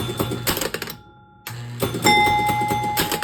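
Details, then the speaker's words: Gusher electromechanical pinball, hole relay driving the disappearing thumper bumper: sharp relay clacks and mechanical thunks with a ringing bell between; relay pulls in and moves the bumper up and down normally. "There we go. And that moves the whole bumper up and down."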